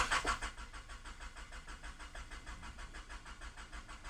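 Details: 1995 Honda Accord (non-OBD) towed in with a starting issue: even starter cranking about three and a half beats a second, engine turns over steadily but never catches; crank no-start, cause being diagnosed.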